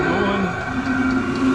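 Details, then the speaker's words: Vevor 8 kW diesel heater installed in a Kawasaki KRX 1000 Trail Edition, running without its supplied intake muffler: a steady, even, loud roar like a freight train with no misfire or surging; working properly and producing plenty of heat. "But we aren't running the muffler because when the KRX is running, it is already loud, so I don't really care about the how loud it is. But you guys can hear this thing going. It is loud."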